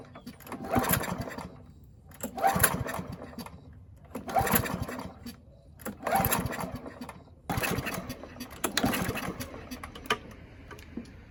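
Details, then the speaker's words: Free Husqvarna mower, throttle cable missing, carburetor main jet stuck and uncleanable, trying to run on tank fuel: five pull-cord attempts about every two seconds, each a brief cough with no catch. Hard starting from the stuck jet. "Okay, so since the jet is stuck in there, we couldn't clean it out. Let's just give it some poles and see if it manages to run on its own fuel through the gas tank."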